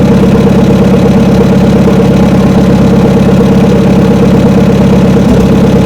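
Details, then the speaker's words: 1972 Chevrolet C10 truck, first start after about 3 months sitting, about 40°F drizzle: chugs at low, uneven idle about two pulses per second, fuel-starved; owner suspects water in the carburetor. "just all of a sudden it started to fire off and sounds like going to run out of fuel now though y it's carburetor troubles it must have got some water down in the carburetor"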